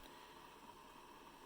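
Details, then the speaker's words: Hamilton Beach 47950 One Press 12-cup dispensing coffee maker after brewing: a quiet, steady hiss with a faint thin tone and no rhythm while it keeps the coffee warm, stopping when a part is lifted with a fingernail; normal keep-warm sound. "And it will continue to make this noise the entire time that it's keeping the coffee warm. But the reason why I know it is that, when you lift that up with just a fingernail, it stops."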